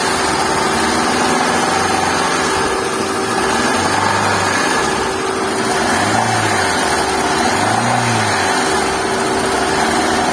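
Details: Hyundai i10 with oil warning light: quiet at idle, each throttle blip brings loud rising top-end mechanical rattle; suspected camshaft noise, not confirmed.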